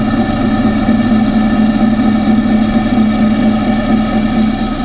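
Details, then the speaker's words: Engine heard through a pipe used as a stethoscope, after alternator and tensioner were checked: constant whir over a steady idle with a faint pulse; whirring noise seems to come from the water pump area, source unconfirmed. "But anyway, my noise seems to be coming from the water."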